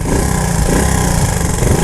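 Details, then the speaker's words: 1977 Honda ATC 90 two-stroke three-wheeler, first run after sitting for years, after a ride: runs unevenly and lumpy, revs hunting instead of settling; won't idle, owner suspects the carburetor needs cleaning and adjusting. "will it idle I don't think it's gonna idle we need to carb probably needs cleaned out"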